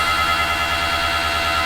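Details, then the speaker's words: Toyota FJ40 with a Walbro electric fuel pump mounted right under the seat: a constant high-pitched whine with a fast buzzing pulse that cuts off sharply. It is annoyingly loud and about to be replaced with a DW-series pump. "that fuel pump it's a wal BR pump and that thing they're kind of known for being loud I didn't think it'd be that loud but being right underneath the seat it's very annoying"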